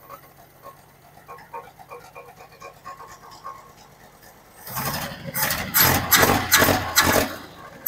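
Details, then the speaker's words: Old, worn Holden ute engine with sticking starter, fresh fuel added: quiet, then catches and hunts up and down in uneven surges instead of holding steady idle; surging, galloping idle, cause unconfirmed. "You can hear it when in all those bits of me trying to start it, how it was galloping, how it would go fast and slow. That's just, you know, that's not what you want at all."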